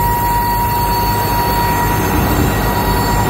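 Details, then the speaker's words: Railcars negotiating a curve: a loud, steady, high-pitched squeal over heavy rolling rumble as the front wheel flanges press into the rail head, steering the trucks through the curve. "the front wheel is sticking into this eye rail and that's steering the uh trucks around through the curves that that uh flange sticks into the rail head. That's what uh produce most of your sound."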